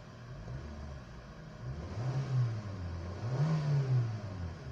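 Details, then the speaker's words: Kia engine after WD-40 was sprayed on brittle, heat-hardened hoses and wiring harness, fixing a delayed-RPM, low-power complaint: picks up instantly on each blip, no lag versus the previous 2-second delay; normal throttle response. "So responsive na siya. Hindi kagaya nung dati 2 seconds bago mag-response."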